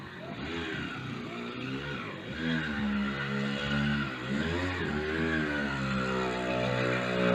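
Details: Mk3 motorised bicycle with 66cc two-stroke kit engine after a new CDI was fitted: buzzes cleanly and picks up smoothly through several throttle blips without stumbling.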